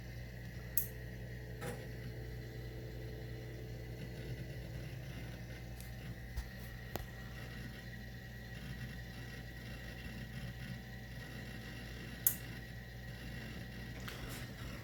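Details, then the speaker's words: CRT monitor of a 1997 Packard Bell Multimedia S606 PC (Pentium 233 MMX), at power-on. A quiet hum with scattered sharp crackles and pops like cracking glass, and no picture appears. Crackling noise, no picture. "okay I hear noise monitors making the single is it sounds like cracking glass"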